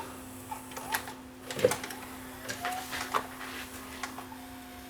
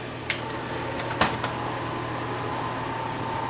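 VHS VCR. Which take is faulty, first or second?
second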